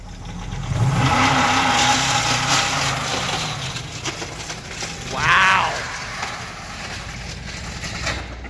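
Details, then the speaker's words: Dodge Durango with a knocking engine revved hard doing hole shots outdoors, heard from a distance: rough rapid knocking under hard revving, shortly before the engine locked up. "You can hear this thing knocking from a mile away. That's not opportunity knocking either."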